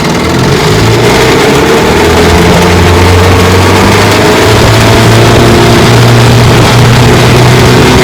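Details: 1954 Johnson QD-15 10 HP two-stroke outboard after restoration, pushing a 14-foot boat about 17 mph: loud even drone at steady high revs under load, no misses or sputters; runs clean.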